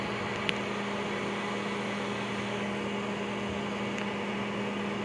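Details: Panasonic NN-SE284 microwave after bending the stirrer antenna so it no longer catches the stirrer plate: steady low hum with quiet fan hiss, only a couple of faint isolated ticks, no repeating cluck; normal operation after fix.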